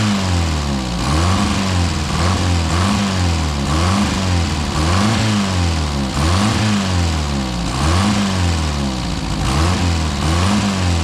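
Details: Four-cylinder car after sitting about 35 to 40 years, no adjustments made, choke in use: uneven idle surging and sagging every second and a half, lumpy and stumbling; owner suspects timing off, mostly firing on four.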